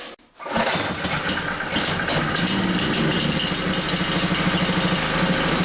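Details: Generator brought in as a non-runner, started with choke and fuel on, then choke taken off after checking oil: starts after a brief pause and settles into a fast, even buzzing run with no stumbling or surging. It had been flooded from repeated pulling.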